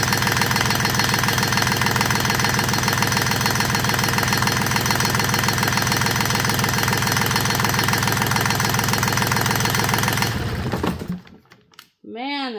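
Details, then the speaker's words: Rebuilt Yanmar 3GM30F three-cylinder marine diesel, first run in years, idle set about 850 rpm with good oil pressure: low, even idle with steady regular clatter, then shutdown; normal idle. "thing sounds great. Good oil pressure. We're 5560 and I've got the idle set right at about 8:30, 850, I think."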